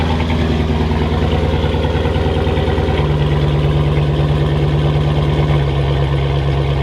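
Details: 2006 Chrysler 300 SRT8 6.1 Hemi, first startup after stage 2 cam, valve springs and retainers install: deep, choppy idle with an uneven lope pulsing about three times a second; lopey cammed idle.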